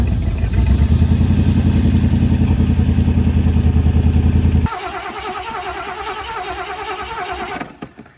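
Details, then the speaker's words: 1973 Mercury Montego GT, 400 cubic inch Ford V8, C6 transmission, sat ten years: uneven lumpy beat around three pulses a second, then sags and stumbles; carburettor accelerator pump squirting fuel straight out. "the accelerator pump is just squirting fuel straight out I don't know crank it over again"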